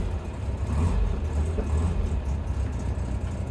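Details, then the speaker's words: Land Rover Series III 109 FFR, first start after about 8 months off the road, with choke on. The idle lurches and chops unevenly, and smoke comes out the back; the owner suspects the rear cylinders are misfiring. Rough running at idle. "So she's got a bit of a chop. Yeah, you can see she's got misfire out the back, smoking away, but she's starting, she's going."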